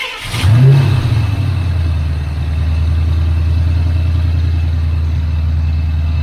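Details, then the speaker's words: Ford Mustang Fox body, after a broken ECT sensor was replaced, starts, flares, then holds a fast idle that never settles despite being warm. A frayed ECT wire or bad plug connection is suspected. High idle. "I really need to check that sensor and make sure that the plug is good because the car has some heat in it it shouldn't high idle"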